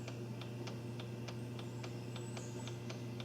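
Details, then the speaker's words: Volkswagen Jetta secondary air injection diagnosis: solenoid valve energized with jumpers to battery positive and negative; crisp clicks about twice a second over low hum; works electrically, internal valve untested. "we know electrically the valve is working but we don't know anything about the internal valve itself"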